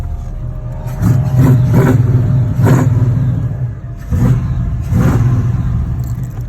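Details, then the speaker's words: LS-swapped G-body Monte Carlo after a fuel pump relay fault was diagnosed and bypassed with a fused jumper: it runs and answers several quick throttle blips cleanly with no misses; normal start and rev. "and that's how I diagnosed my fuel my fuel relay problem now she's running back like a champ"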